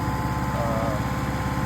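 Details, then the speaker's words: Restored 6.5 kW gas Kohler genset after water pump plate was resurfaced to fix water problems: steady even hum at constant speed, no knocks or misses; getting plenty of water now and running fine. "It's getting plenty of water now, and that is all running fine."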